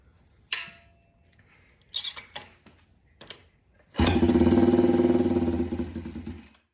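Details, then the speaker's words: Yamaha TTR 90, airbox off, air-fuel mixture screw turned from 1.5 to 1 and idle raised: fires on choke, runs ragged and uneven for about two seconds, then fades and stalls; won't hold idle. "on. Doesn't want to idle."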